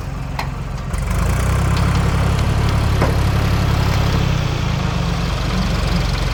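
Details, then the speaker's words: 1973 Ford 4500 industrial diesel backhoe, revived from scrap, digging stumps: steady even diesel chug about four beats per second under work, no knocks or misses; machine ran great all day. "It's the end of the day, and machine worked great the whole day."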